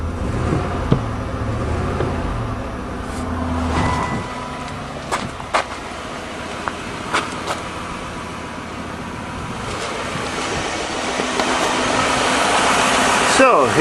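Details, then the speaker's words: 1997 Lincoln Continental engine on cold start, one cylinder misfiring: an uneven, pulsing stumble about every second, same as the day before; the misfire was later found not to be the coil pack. "all righty is running exactly the same as yesterday yeah you can hear that pulsing"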